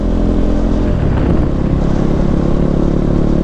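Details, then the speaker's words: Used KTM 390 (Duke/RC 390 BS4, dual-channel ABS) on a test ride, warmed up, temperature stable: steady, even single-cylinder drone under riding load over wind and road noise, no knocks or ticks; engine runs smooth with no issue. "देख रहे हो कितनी smooth चल रही है bike, बहुत smooth चल रही है, कोई किसी तरह का इशू नहीं है।"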